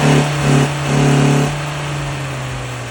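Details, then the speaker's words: Carbureted gasoline Volvo running like a runaway engine, choke partly on, started on starting fluid: hangs at a high steady fast idle with constant drone; owner suspects carburetor intake manifolds causing a vacuum leak, replacements ordered. "these are the carburetor intake manifolds and I'm suspecting they're causing a vacuum leak which causes my engine to run like that"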